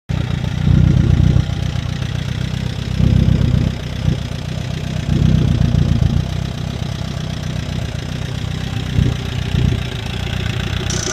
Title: Chevy Captiva making noise got a bad used motor #shorts #fail